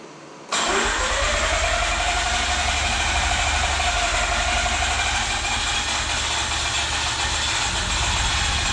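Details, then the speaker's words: Mazda RX-8 rotary just rebuilt and reinstalled, another start attempt after the deflood procedure with the spark plugs back in: it catches within a second and settles into a fast, buzzy, even idle with no misses; a normal start. "It runs! F&A! Well, that was a bear!"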